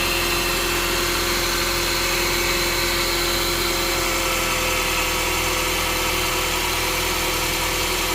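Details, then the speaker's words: 2022+ Honda Civic 2.0 LX, crank pulley removed and a stuck piece cleared from behind it, started without the serpentine belt: steady, even idle with a smooth hiss and no ticking, knocking or squealing; the earlier noise is gone. "When I press the gas, all right. Wasn't good? Seems okay, bro. Seems good to me."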